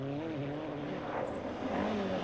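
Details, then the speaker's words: Ford Escort rally car at full throttle in a 2005 forestry rally sounds rough and off-key with a wavering misfire, attributed to faulty electronics. "as we hear the escort is very off-key and the misfire is down to faulty electronics"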